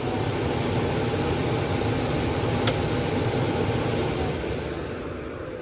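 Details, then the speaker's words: Furnace indoor blower starting on a cooling call (R to Y jumped) after a failed blower relay on the old control board was diagnosed; steady airflow rush with a smooth low motor hum, no knocks or squeal, easing off at the end; normal blower operation. "And now we're gonna go ahead and check cooling, which is R to Y. Yep. Sure the blower comes on. Yep, there it goes."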